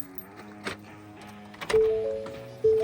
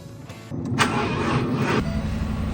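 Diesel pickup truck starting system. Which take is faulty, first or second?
second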